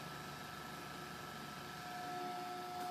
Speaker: now with this fan you use the modified it makes like a humming sound